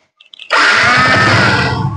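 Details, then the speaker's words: Yamaha Exciter 135 electric start in neutral after repair of a starter fault, now plugged into the starter connector. Starter whirrs and the engine catches at once into a steady buzzing run, a clean start. "như vậy là OK rồi các bạn nhá"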